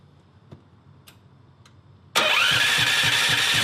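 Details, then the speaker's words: 420cc turbocharged drift trike, just converted to EFI, fuel pump primed: fires and runs with a lumpy, uneven beat about four times a second; timing suspected off, Hall sensor on flywheel may need adjusting. "Sounds like the timing might be off."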